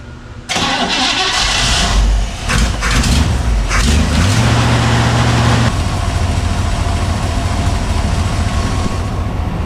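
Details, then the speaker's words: Engine cranks, catches and settles into a smooth, even idle after exhaust manifold removal and new doughnut gaskets, with no ticking or puffing at the manifold; sounds quiet, normal idle, no exhaust leak. "far as I can tell, it sounds quiet."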